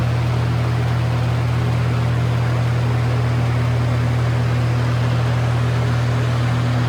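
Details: Lasko Air Flex box fan with full-sized Macmillan motor and Weather Shield blades on high: steady low motor hum, constant rushing air, slight vibration, no knocks or rubbing; normal running.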